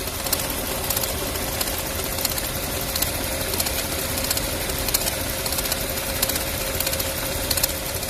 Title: TSI 1.4 BMY - стук, треск цепи? Оказалось - накрывается водяная помпа. Weird noise - faulty pump.